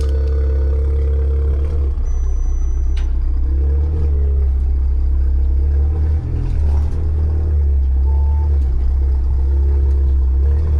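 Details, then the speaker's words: Newly bought German car of unknown history idling on the trailer, oil level unknown; deep, heavy droning rumble with a coarse, uneven burble, exhaust loud and rough, cause not pinned down. "Oh, that sounds horrible. I do not like how that exhaust sounds."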